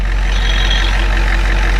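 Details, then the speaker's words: 1993 Ford E350/E450 box truck, 7.3 IDI diesel, started after sitting a year: deep even diesel clatter at steady idle, no misses or surging, no blow-by or smoke; engine sounds healthy. "The engine is in good running condition. It brakes good and everything. You see, there's no smoke. This engine is really healthy. It sounds like an IDI, it runs like an IDI, and it's gonna run forever."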